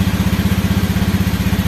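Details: Motorcycle idling normally with homemade relay anti-theft alarm switch turned off: even, steady putter at roughly thirteen beats a second with no misses or knocks.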